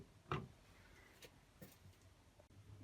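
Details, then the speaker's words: Bosch Varioperfect washing machine with error code 43, program time counting down: soft clicks about once a second as a relay tries to switch the motor on, but the motor never spins; worn motor carbon brushes. "it's making a periodic little click click noise, as if it's trying to turn on and off. Some solenoid's turning something on and off, like the motor."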